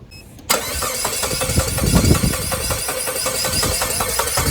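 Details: Saab 9-3 sat 3–4 years at a shop, 4-year-old battery on jump starter: steady starter cranking about four beats a second, never catches; crank no start from immobilizer fault.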